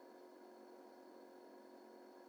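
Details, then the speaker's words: Diesel-powered heater in a T25 Westfalia camper, switched on after a new leisure battery raised voltage to about 12.5 V, spins its fan first with a soft, even hum and faint whine, before any fuel pump ticking; normal start-up. "e'll try it so you flick it on whether you can hear it or not you can hear a fan come on and if it's got good enough voltage you'll hear a ticking noise limit which is the diesel fuel pump and that means that it's lit as well and generating heat but it spins the fan first"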